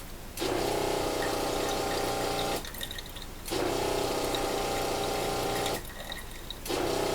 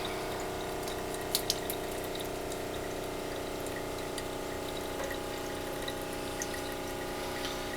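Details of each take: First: Off-grid rainwater system, small pump on a pressure switch, tap opened: hum runs about two seconds, drops out under a second, restarts; short cycling with only a trickle because the ceramic filter is partially blocked from not being cleaned. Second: Off-grid rainwater system, small pressure-switch pump after cleaning the ceramic filter and bleeding air: smooth steady hum with water running evenly, no surging or sputtering; improved, consistent flow. Louder than usual because the door is open.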